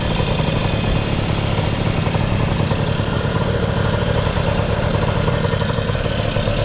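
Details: Vintage Honda Lead 90 scooter (HF05-1025) running check: steady smooth idle, even low hum, no tapping, knocking or misses; quiet engine, normal idle.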